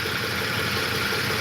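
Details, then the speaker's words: 2008 Ford F-150, tuned, warm idle at 204°F coolant, hood up: busy even chunka-chunka knock under engine noise, owner attributes it to worn cam phasers; earlier ticking heard up front. "cam phasers. It's kind of like a chunka chunka chunka chunka chunka, but I'm not hearing the ticking."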